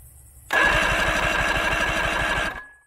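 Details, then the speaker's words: 1987 Crestliner boat with a 90 hp Johnson outboard that sat about a year, cranking during a compression test; uneven, lopsided rhythm at about three beats a second, lower cylinder reading 95, a little lower than the top two. Low compression on one cylinder. "95 okay so the lower cylinder is a little lower than the top two it's kind of odd"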